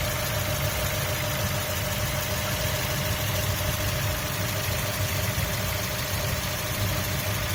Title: 2003 Mazda miata mx-5 chirp noise